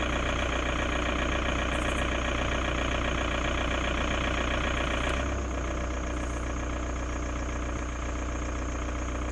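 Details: 2002 VW Jetta TDI diesel idling in Park, AC off then on: regular tick about two and a half per second over a low drone, abnormal noise at idle with unclear cause.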